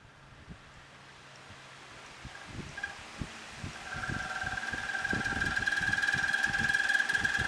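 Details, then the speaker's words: Dirty box fan motor spinning up with a steady high squeal and rapid ticking from a dry, squeaking bearing; the fix planned is to blow it out with an air hose, check for loose parts and oil it. "hear that squeaking noise you can't sleep when a fan's making all that racket"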